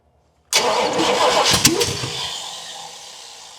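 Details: Long-sitting 1979 Pontiac Trans Am cranking on first start attempt after the starter was freed with a hammer: rough cranking with sharp pops, coughs and flames from the carb, never running. Base ignition timing is badly off.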